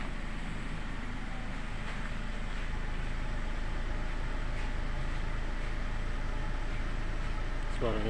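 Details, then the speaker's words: Nissan X-Trail T30, after a repair for hot-engine pinging caused by carbon deposits glowing and igniting fuel early, plus white smoke and oil loss: even idle with no tuk-tuk knocking. Smooth, with no smoke. "sudah halus ya teman-teman tidak ada suara tuk tuk tuk tu tuk seperti kemarin"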